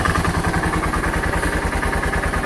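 Heavy, hollow knock on every firing pulse at idle, loud over the thump of the big single; piston slap.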